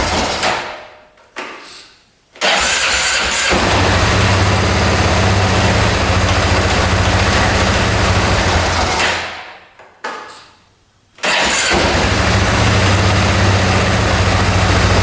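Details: 2010 Polaris Sportsman 550 single-cylinder ATV, unused for years, after valve clearances set to 0.006 in: fires quickly without throttle, idles steadily, dies away, restarts and settles to idle.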